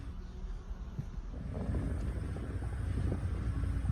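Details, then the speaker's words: Bone-stock 1995 Dodge Ram 2500 8.0L V10 idling at night, pulled over: low, even rumble with a steady loping beat, no knocks or misses, some wind noise; truck in amazing shape, idles smoothly. "Listen to this thing idle. It looks awesome tonight. This truck is in amazing shape and would make a great addition to anyone's collection."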